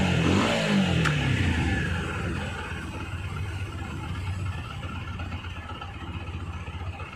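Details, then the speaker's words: Water-damaged TVS Apache RTR 160 4V with the idle valve motor not working, so the idle is set manually. A quick blip falls back smoothly to a fast, steady idle of about 1500–1700 rpm without stalling; set high so it won't die. "இப்ப பார்த்தா தெரியும் ஒரு 1500 to 1700 வண்டிய நம்ம race பண்ணி விட்டோம்னா கொஞ்சம் அதிகமா"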